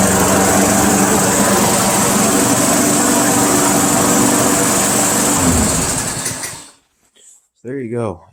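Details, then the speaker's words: Craftsman Eager 1 mower, restarted cold after warming it indoors with a heater, took a while to start: steady even buzzing fast idle, no misses or knocks, then shuts off; running normally. "nicely just took a little while to get it started"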